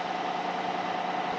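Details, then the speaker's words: 2014 GMC Sierra 1500 after replacing seized AC compressor and expansion valve, charged with 29 oz R-134a, 50 psi low side, 200 psi high side: steady idle with smooth even whir and hiss, compressor running strong. "this is it running strong it feels so good having AC again"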